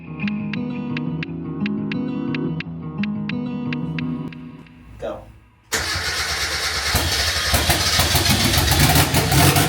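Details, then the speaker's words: Mk1 Mazda MX-5 drift car, engine rebuilt after nearly 3 years off the road, first start: it cranks, catches, and runs rough and lumpy with an uneven beat. It is misfiring, and there is a known gasket leak. "you can hear it misfiring yeah that's another problem we can solve at another time"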